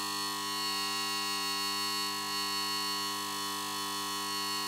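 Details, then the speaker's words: Magnetic ballast of a Mazda Esthelux 400 luminaire, modified to be noisy, fitted with a worn BF 250 lamp whose discharge tube is blackened: loud, steady electrical hum with a high whine on top, unchanging, while the lamp warms up. "Le ronronnement il est vraiment sympa. Bon c'est assez fort mais j'aime bien."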